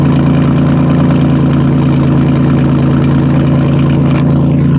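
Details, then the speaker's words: 2010 Chrysler Town and Country 3.3, 194,000 miles, idling with the muffler removed (straight pipe): a steady, even, throaty idle with no misses or ticking, relatively quiet. Exhaust flow that was restricted before now runs smooth, and the earlier converter-code engine light cleared. "not bad. Not bad at all. It's relatively quiet, but we'll take it down the road and see what we got going down the street here."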